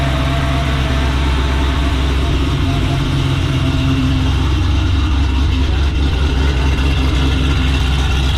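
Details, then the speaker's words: Camaro at idle in tour mode after swapping MSD wires for Taylor spark plug wires, following misfires at the track: deep, steady burble with an even beat and no skips; firing cleanly, no misfires. "So the car is currently in tour mode because it is 9:30 at night on a Sunday. No misfires, so that's a win."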